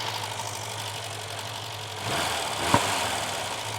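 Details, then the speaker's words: Barn-find car started and driven for the first time in over ten years: uneven idle with occasional sharp pops, a slight misfire. Timing is suspected and new spark plugs are to be ordered; not confirmed. "Definitely misfiring still slightly. Not a massive miss. That might be timing wise."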